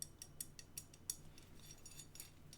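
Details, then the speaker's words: Loose brass lead nut on the lead screw of a self-sourced Prusa i3 MK2S build, compared against graphite SLS nuts. Faint light ticking about twice a second as the screw turns, a sloppy rattle as the nut tilts and wobbles back and forth. "for comparison you put a brass one on and it just you can hear that hear it wobbling it's sort of tilts backwards and forwards"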